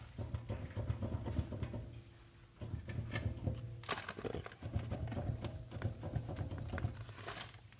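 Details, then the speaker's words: 2006 Toyota 4Runner two-wheel drive, front wheel rocked by hand: irregular clunks and rattles from a worn wheel bearing with play; smooth when rolling, small hum around thirty mph that then stops. "sound is the rattling of this thing doesn't make any sound when it's rolling it's pretty smooth"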